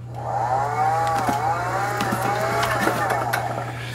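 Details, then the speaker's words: Frontier V6 off-road wheelchair drive motor, after sitting in storage: harsh wavering whine with gritty grinding over a low hum; owner unsure whether bearing or brushes. "So I discovered this is the motor that makes terrible sounds. Listen to this. Oh, that's bad. Ugh. I don't know if that's a bearing or brushes or what's going on, but holy cow."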